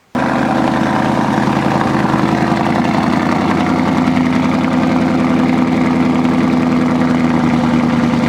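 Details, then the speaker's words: Engine idling cold after diff leak repair with LubeLocker gasket; steady low idle with slightly uneven loping pulse, no knocks, a little rough. "It's all good. A little rough. Idle idle for a couple minutes, and then back it up, pull the blocks out, and then park it."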